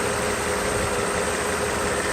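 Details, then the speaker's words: Mercedes SL600 V12 at idle on the car after a full overhaul of its previously badly repaired throttle body (ASR problem): internals moved to a case with clutch coil, motor brushes, wiring, connector and throttle-plate shaft bolt redone; smooth, even idle, no knocks, misses or hunting; normal idle. "as you can see it works pretty happy with the result you see the engine runs nice ready"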